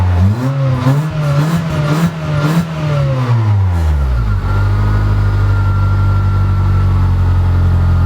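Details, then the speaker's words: Honda Civic after crank-no-start fixed by resetting a hidden under-dash kill switch that cut fuel pump voltage: engine revs up and down smoothly several times, then settles to a steady, even idle with no knocks or misfires. "oh well at the end of the day I'm happy because I have a running car now"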